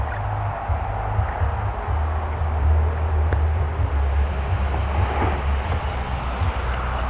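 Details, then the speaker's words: Husqvarna 435 chainsaw after tune-up with new fuel filter: steady low burble, even idle without stumbling or surging; runs much better. "All right, we're done with our tune-up. Runs much better."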